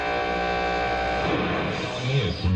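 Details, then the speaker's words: Philco 315 tube radio on the AM band at night: harsh, steady fluorescent-light-like buzz over static, calming once a station is tuned; heard on other radios too, so suspected outside electrical interference, not confirmed. "there's a lot of noise on the on the am band here at night it didn't used to be that bad but recently there's just been this really horrendous fluorescent light sounding noise"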